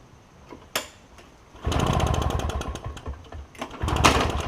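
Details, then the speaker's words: Toro push mower with a two-stroke Suzuki engine, first start attempt, choked and pulled: it sputters in short uneven bursts that fade and pick up. A blockage remains, a partially blocked carburetor. "so there's still got a little bit of a blockage that's okay I just wanted to see I don't want to be messing up the car but I just wanted to see if it would run on what I had but apparently it's not going to"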